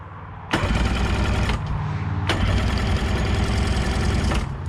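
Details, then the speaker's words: 1990 Sea-Doo GT, 587cc Rotax, non-running unit: steady fast cranking churn for several seconds that never fires; crank no-start with no spark confirmed. "Let's check for spark. Whole lot of nada."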